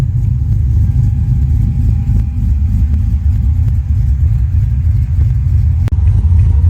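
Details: LS-swapped, bagged Holden Kingswood wagon V8, warm at a little above 180 degrees, about 30 psi fuel pressure, 14 volts: deep, steady low rumble, even beat, no knocks or misses; normal idle.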